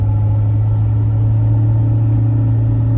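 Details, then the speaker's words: 2018 Ford F-150 Raptor at 40k miles, heard in cab while driving with rear window open and closed: steady low hum from the rear under road rumble; owner suspects rear differential after ruling out mud-terrain tires, cause unconfirmed. "might hear a nice little hum coming from the back. I can even close the rear window and you can still hear it quite a bit in the cabin."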